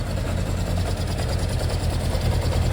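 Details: Kawasaki Zephyr 750 with brand-new battery, not run for years, back running after a mystery electrical fault: steady low idle with faintly uneven, soft beat, still a little fluffy but getting crisper the more it runs.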